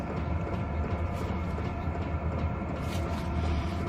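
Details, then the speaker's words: Hcalory 5–8 kW 12 V diesel air heater running hot on a wire cart: steady low fan roar with faint regular metallic ticking as dosing-pump pulses resonate through the wire cart; moving or isolating the pump suggested. "You can definitely hear the pump noise now. It's even amplified even more by going through this wire cart."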